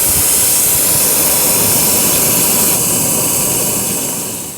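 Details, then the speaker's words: Empty A/C system (no pressure) probed with an electronic stethoscope wand: a sharp, steady air hiss grows louder and harsher as the probe nears the spot. A crack was found in a small A/C pipe. "i start hearing more here not so much over here and starts getting pretty intense down in this area so as i put my wand down in there i can hear this getting very intense sound"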